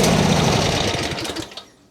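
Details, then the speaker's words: John Deere Z355E zero-turn mower bought as a dusty non-runner, cranked during linkage reassembly to check whether fuel flows: fast clattering crank of about 1.5 seconds, never fires. Cranking, no start; a broken governor gear was later replaced. "Let's try to crank it. I just want to see if the fuel is coming out."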